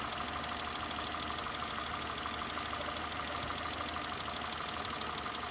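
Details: 2011 Citroen C3, 1.2 or 1.4 engine, warm idle: runs unevenly with a rough, irregular beat and occasional stumble. Misfire from a failed ignition coil pack; slow, rich-reading O2 sensor also found.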